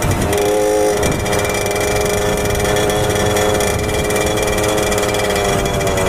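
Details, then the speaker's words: 1997 Suzuki JR50 50cc two-stroke kids' dirt bike after restoration and hidden gear mod, accelerating: buzzy note winds up, stumbles briefly about a second in, then pulls again; top-end breakup. "like it's still increasing rpm increasing increasing still increasing rpm and then sometimes it keeps building and sometimes it's there because that it breaks up"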